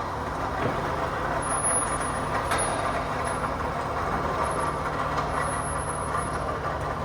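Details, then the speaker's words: Toyota Camry 2AZ engine running: steady rough hiss with a faint high whine that comes and goes, from the water pump; its pulley visibly wobbles left-right with play, indicating a worn water pump bearing needing replacement. "ये जी बिल्कुल आवाज़ जो है आपने सुन ली है। तो आवाज़ जो है ये जी वाटर पंप की है।"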